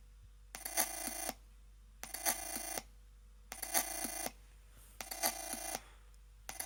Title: Chromebook Pixel Ubuntu weird noises